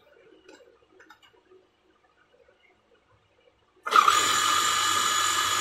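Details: Domestic water pump running after a bearing and water seal replacement, primed with water: after a quiet spell it starts and settles into a smooth, even hum with water hiss and no rattle or grinding. Healthy, normal running.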